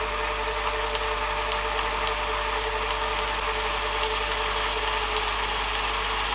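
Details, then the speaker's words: Panasonic NV-HD650 VHS VCR with fairly high hours, after a service including mode switch cleaning, rewinding a tape from near 2 hours: steady mid-pitched hum with faint irregular ticking, slowing near the one-minute mark and never getting up to speed. "we're down around the one minute Mark and it's going very slow again that's a bit more like what it was doing before"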